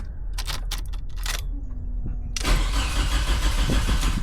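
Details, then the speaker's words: Nissan Sentra project car that ran days earlier, now with no spark: a few ticks, then steady starter cranking at about three pulses a second that never fires; crank no start, a blown fuse later found. "now I can't get the car started for the life of me I didn't change anything I didn't unplug anything so I I have no spark for some reason and it's kind of sending me insane"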